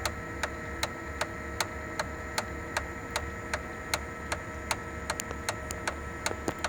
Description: Sharp MX6240 MX7040 ticking noise from fuser drive gears. Cluster including bearings and gears are bad and needs replacement.